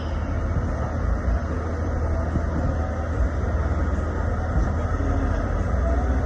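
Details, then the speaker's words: 1999 Acura TL after power steering pump replacement, flush and bleeding, engine idling while the wheel is turned: even idle with no pump whine or groaning; air is out of the system and the steering is normal. "so clean now so no more noise so all the air is out of the system"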